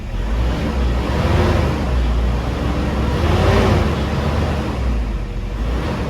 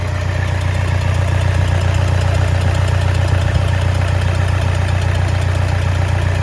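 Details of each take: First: 2010 Toyota Innova 2KD diesel before repair, check engine light on with P0093, revved with no load: a flat, steady rumble stuck at about 1200 rpm that won't pick up; injectors suspected of sticking and leaking. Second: 2010 Toyota Innova 2KD diesel, first start after combustion chamber cleaning and fuel priming, hard to start and needing a jumped battery: steady, even idle with light regular clatter and no stumble; running normally.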